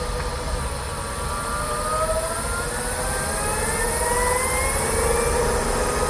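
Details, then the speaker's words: Kia e-Niro electric car driving after a dealer service: several thin whining tones climb in pitch with speed over road roar, like a cardboard box stuck underneath. The owner believes it comes from the electric motor; the dealer did not check it. Drivetrain whine, source unconfirmed. "a whining sound. Have you ever had something stuck underneath your car, like a card box? That sound, yeah, the electric motor has that sound."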